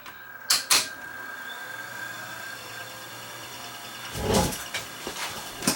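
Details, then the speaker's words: Sony VO-9800 U-matic SP broadcast VTR, before overhaul: a couple of clunks as it engages, then an even, quiet whir of reels spinning fast; fast forward runs smoothly. "Moving along pretty good. You can see how fast the reels are turning there."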